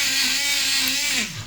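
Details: Repaired portable blender juicer (disconnected motor wire resoldered), running with water in the jar. A steady high motor whine at constant pitch, then a smooth drop as it switches off: healthy blender motor after repair.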